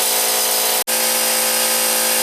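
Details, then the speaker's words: Harbor Freight 125 psi air compressor after replacing the run capacitor with two caps in parallel, starting against about 20 psi tank pressure: comes up to speed and holds a loud, steady, even hum without stalling or labouring; runs normally. "I can tell you one thing, these old Harbor Freights, they're a noisy son of a gun."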